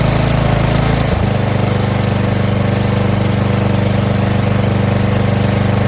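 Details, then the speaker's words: Murray mower 12.5 hp Briggs flathead single after swapping 25-year-old original carb for a new Nikki carb (fuel solenoid removed), new fuel line: catches and settles into a steady even putter, no misses, idle adjusted down; normal good idle. "Adjust the idle. All the way down. That's good idle right there."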